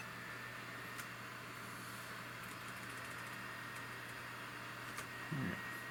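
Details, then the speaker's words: Sony VAIO PCG-R505TS Pentium III sub-notebook: soft, steady low hum with a faint constant whir, no rattle or scraping, fan sounds healthy; normal laptop fan. "the fan sounds healthy"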